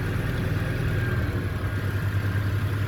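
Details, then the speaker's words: Car engine after rough-idle fix: even low idle hum with steady beat, no misses or hunting, rpm settled stable at about 950; idling smoothly. "Engine बिल्कुल अपनी जगह पर आ गया बिलकुल smooth soft खड़ा हो गया बिल्कुल इसका पीएम सब कुछ बराबर होगा"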